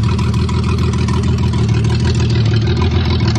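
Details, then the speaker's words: 1982 Toyota Cressida running with the fuel pump off, since it floods and stalls when the pump is on: loud, raw, chuffing idle with heavy low rumble and a ragged beat; an exhaust leak is suspected, not confirmed. "Sounds like I got a big exhaust leak."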